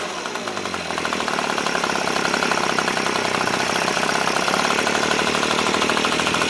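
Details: Echo PB265LN leaf blower two-stroke, freed from seizure, fuel leaking: fast raspy buzz rising and holding high; high idle with idle screw turned all the way and air filter suspected gas-soaked, blocking airflow.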